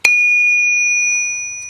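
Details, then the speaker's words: Hardened wheel of a homebuilt English wheel, lower wheels hardened as well: a single sharp strike gives a clear, high, bell-like ring that fades slowly, the sound of a properly hardened wheel. "I just want to show you when you get it I get a nice hard in wheel it's got a nice ring to it"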